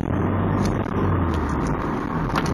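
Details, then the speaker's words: Nissan 240SX on the road after replacing the leaking main-catalyst exhaust gasket, with a tiny leak left at a warped flange: steady deep exhaust drone, no popping or backfire off throttle; normal exhaust note. "that's way better than before no back F no nothing just smoth sand all right that's it"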